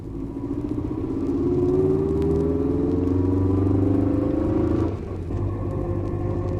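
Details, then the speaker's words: 1964 record demonstration of rear axle whine: a steady mid-pitched howl rising with road speed over the rumble, then dropping off, caused by a worn crown wheel and pinion in the differential, which must be replaced as a pair. "The second is a back axle wine caused by wear on the crown wheel and pinion in the differential."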